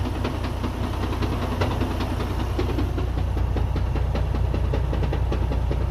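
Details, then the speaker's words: Freightliner Cascadia with Eaton 13-speed transmission: steady diesel idle with a repeating rough knock about two and a half beats a second, loud especially with the clutch released, from mid-truck; broken transmission gear teeth. "that definitely is not a good sound. I think it's coming from this cascadia. It came in with that sound, as you could hear it. It sounds very loud, especially when the clutch is released."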